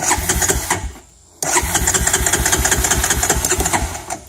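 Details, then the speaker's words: 2004 Honda Recon 250 ES with Keihin carburetor, cold start: the single cylinder catches and chugs, dies within a second, restarts and fades out again; hard to start when cold, runs fine once warm. A carb rebuild is planned, cause not confirmed. "it runs fine especially once it warms up but it's just hard to start so you crank it up and it dies"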